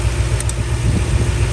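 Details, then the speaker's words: 2001 Toyota Sequoia, about 250,000 miles, code P0300, misfiring at idle: low, lumpy idle with an uneven periodic thump. Coil packs are being pulled one at a time to find the cylinder; a faulty coil pack is suspected. "so it's actually misfiring right now at idle so i'm gonna remove the coil and see if you can hear any difference"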